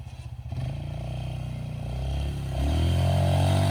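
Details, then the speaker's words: 2007 Polaris Scrambler ATV, running after sitting 4+ years, plowing in woods: deep single-cylinder thump about four pulses a second, pulling steadily and rising smoothly with throttle under plow load; normal running. "So just a quick video of it working, as you can see."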